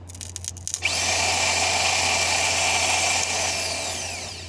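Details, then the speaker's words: 1988 Saab 900 Turbo no-start: a high, drill-like starter whir spins up and winds down without the engine firing, and the battery terminal is smoking. Failing starter (under the intake), to be replaced. "The problem is the starter that lies right underneath the intake right here."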